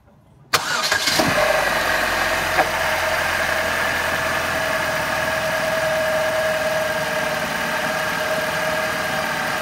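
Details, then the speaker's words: Ecotec petrol engine cold start after sitting 15 hours, following full timing kit replacement (chain, guides, tensioner): cranks, catches quickly and idles smoothly with no rattle, fixed. "that's obviously way way better no rattle no 100% fixed"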